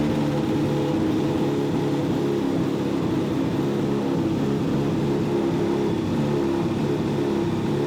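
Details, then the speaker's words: Honda CBR600RR motorcycle with a very rough idle: idle wanders and jumps around with no power between roughly 1,000 and 2,500 rpm, a lumpy, unsettled beat suggesting a bad misfire; iridium spark plugs were changed about 1,500 miles earlier. "it has a very rough idle feels like no power in between like 1 2 500 rpms idle is all over the place jumps around"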